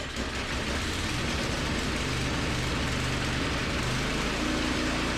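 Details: Toro snowblower after the blown drive belt was replaced with a new, tight-fitting belt: small engine runs at a steady, even speed with no squeal, slap or knocking. Normal running.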